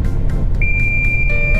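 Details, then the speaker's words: Long-haul truck hauling cabbages near Iwate, Japan: a steady high-pitched low-coolant warning beeps continuously over the diesel rumble despite the water level being checked before departure; the driver suspects low radiator water and fears overheating if driven on. "冷却水不足という警告音がさっきからピーピーピーピーなってますこれはとてもよろしくない状態ですはい"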